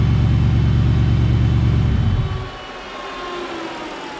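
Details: Shelby Cobra build, 2003 Mustang GT 4.6 V8, after a new high-volume fuel pump fixed slow fuel pressure: a low, even burble with a steady firing beat, then a clean shutdown. It runs normally.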